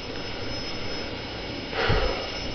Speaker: definitely like a jet definitely like a jet engine rocket the my God that's the loudest backing out that's the loudest vacuum cleaner I've ever heard in my life